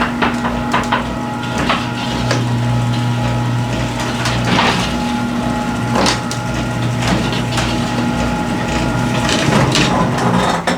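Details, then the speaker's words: Garage door travelling under opener before installing new hinges: steady opener motor hum with irregular sharp clacks and knocks rattling through; baseline recording before the hinge replacement, rattle cause not confirmed. "before we go and install these hinges I want you to listen to How the garage is listen for rattles the sound and I'm going to do a comparison later on after we install it on what's the difference"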